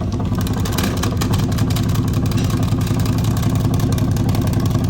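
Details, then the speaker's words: 2004 Ford F150 5.4L idling after warm-up with timing checked correct on scope: regular puff two or three times a second at tailpipe; owner suspects a bad valve, compression and leak-down tests planned. "now that it's been sitting here running while I listen to this driver's side passenger side you know that makes me think but now seeing the timings on the money that makes me think a bad valve"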